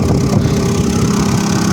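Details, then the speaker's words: Seat Ibiza 1.4 MPI (BXW) cold start just after cleaning oil pickup screen and sump for lifter noise: even, steady idle with low exhaust rumble (exhaust holed), no clatter; much quieter than before. "так вот такой теперь звук у нас вот машина на холодную только завелась"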